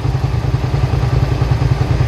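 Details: 2003 Suzuki SV650 V-twin, warm with a new radiator, idling with an even, lumpy, steady twin thump. The fan cycles, with temperature fluctuating between about 210 and 217 as expected. Normal idle.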